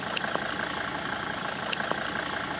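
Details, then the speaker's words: Mercedes-Benz diesel, now fed from the washer fluid tank after the original fuel tank failed, idling with a light, regular clatter and occasional sharper ticks, after unpaved roads; settles and runs smoothly, a normal idle. "Uh but the engine is running as you can hear. So I think we have another 1,000 km to finish this race."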